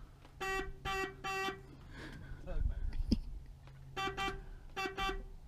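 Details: Horn on 1982-83 Ford F-100 barn find (4.9 L 300 inline-six, Duraspark), powered by a brought-in battery: short bursts of a steady two-tone honk with pauses, like Morse code; horn strong and working.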